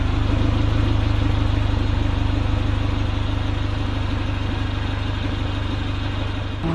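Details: Honda CRX, Spec-D catback with added Vibrant 2.25in muffler and bottleneck resonator welded before the axle-back: deep, steady exhaust drone with a smooth regular pulse at idle, no rattles; the engine and exhaust sound healthy.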